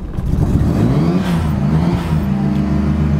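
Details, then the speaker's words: FD RX7 rotary, street-ported, rebuilt 30k ago, parallel turbos, started after new battery after sitting six months: cold, low uneven running, revs rising and falling held on throttle; hard time idling, ECU suspected, idles once warmed. "starts okay so it's got hard time keeping idle right now it could be a churn but again ECU must have completely died because um he sat here for like 6 months but it has really hard time keeping"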